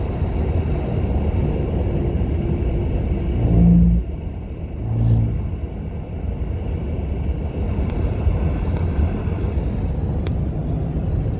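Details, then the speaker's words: 2020 Toyota Highlander Platinum, 2,286 miles, at 75 mph: steady rushing roar with dull low rumble; bad wind noise from both front windows, worst on driver's side, source not confirmed. "uh right now i'm going to speed limit which is 75 miles per hour and the wind noise is pretty bad"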